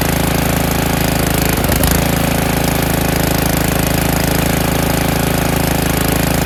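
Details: Snowblower that was winterized years ago, started on choke with throttle high after priming despite oily fuel: the small engine catches and runs at a fast, even chatter, steady and loud with no misses. Normal running.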